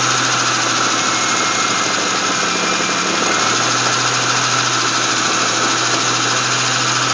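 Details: GM 3800 V6 (Grand Prix GTP) at idle: busy constant metallic rattle over the engine note, source not pinned down; engine rattle at idle.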